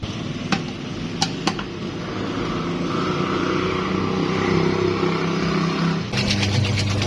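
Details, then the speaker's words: Tornado top-loading washer after repair: smooth steady low hum with no scraping. The earlier loud noise came from raised ridging in the pulsator recess rubbing the pulsator; the ridging was removed and the pulsator refitted. "ودي كانت الغسالة بعد لما خلصنا شغل فيها."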